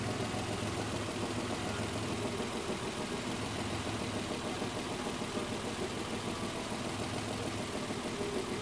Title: Isuzu 6ve1 engine knocking sound 82000 mileage